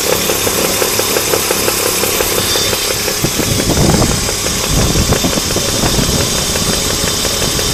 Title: Alpina Roadster - engine knocking gets louder